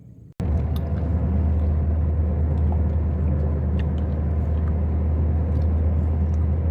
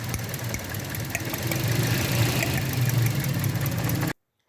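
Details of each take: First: Toyota Corolla (2012–14 model) with complaints of occasional misfire, sluggish pickup and poor fuel economy; fuel pump and injectors were said to be fine. Here it gives a smooth, even low idle rumble with no stumbles or misses. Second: 2012–2014 Toyota Corolla petrol idling with uneven lumpy misfire; cylinder 2 plug blackened, fuel pump and injectors fine; faulty ignition coil found, replacing it cured the misfire.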